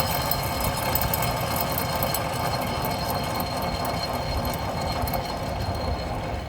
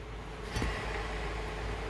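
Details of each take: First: 2007 Buick Lucerne CXL V6, front-wheel drive, 150K miles; passenger-side rear hub bearing spun by hand during a brake job gives a steady, rough grinding rattle, a worn bearing, while the other side is quiet. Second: 2007 Buick Lucerne CXL V6, 150K miles, front-wheel drive: hand-spun driver-side rear hub quiet with soft hiss, no grinding; the passenger side was noisy and causing a trunk-area rumble. Normal bearing.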